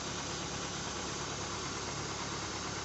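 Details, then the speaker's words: Petrol car that would not start, running after the blown fuse was replaced with a fuse of the same amperage: steady, even idle hum with an airy rush, no misses or knocks; normal idle. "Luego instalamos el fusible y arrancamos el motor Notamos que el motor está funcionando"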